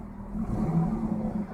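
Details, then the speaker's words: 2001 Ford Mustang, a quick stab of throttle makes the revs rise with a rough, uneven stumble instead of climbing cleanly; gradual throttle is fine, so a misfire under sudden throttle, cause not yet diagnosed. "this was not gradually this was pretty rough so i pressed real quick it sounds like it has a misfire hear it hopefully if i do it gradually like this it's totally fine put it abruptly kind of misfires"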